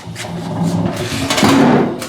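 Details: Old fuel tank from a Fox Body Mustang turbo build, rocked by hand: irregular sliding thuds and rattles as something shifts inside; internal baffle completely broke loose, so the tank was replaced.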